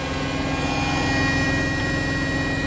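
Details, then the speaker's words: Hotpoint WMXTF942P washing machine after greasing its dry shock absorbers, at full spin speed: steady, even, smooth motor hum with much less vibration and no knocking or thumping, instead of the violent shaking heard before. "And this is what it's like now. A lot smoother, less vibration."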